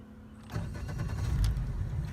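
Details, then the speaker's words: South Bay 22 ft tritoon pontoon, Mercury 150 four-stroke outboard, cold start in neutral: short crank, catches at once, settles into a steady, even low rumble; water stream shows impeller cooling; a normal, healthy start. "everything sounds nice and smooth"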